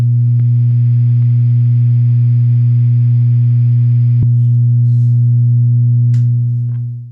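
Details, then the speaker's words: Peavey 6505+ amp head: loud steady low mains hum holding constant pitch when switched from standby to play mode, disappearing in standby; cause not yet identified at this point, later fixed inside the amp. "there was an annoying hum that would come from the amp when you would take it off of standby in play mode if you put it in standby the hum would go away"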